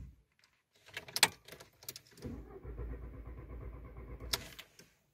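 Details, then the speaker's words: Volkswagen Jetta A4/MK4, intermittent no-start especially after a short trip: key clicks, then a couple of seconds of steady starter churning that never catches and fades; cranks but won't start. "se queda dando marcha no enciende este es el principal síntoma que me da"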